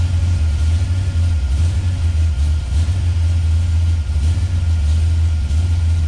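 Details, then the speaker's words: 1971 Plymouth Road Runner 440 big-block V8 with a FireCore distributor, initial ignition timing dropped toward 20°: a heavy, lumpy, wavering idle. "I got it to about 30. I got to idle up to keep running. I keep going down 25. I got to idle up to keep running."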